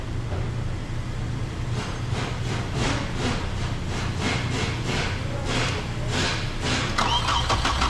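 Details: 2008 Hummer H3 engine cranks steadily with rhythmic chug but never fires; shorted ignition coil suspected, testing coils one at a time while watching the 15 A fuse for a blowout; cranks, won't start.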